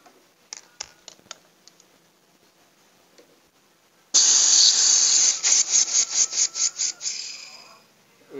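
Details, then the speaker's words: Polytron refrigerator: the compressor runs but there is no evaporator sound; the cut line gives one short sharp hiss that dies within a second, so the refrigerant charge is empty rather than clogged. "jelas habis ini. Jadi hanya keluar langsung hilang. Ini habis."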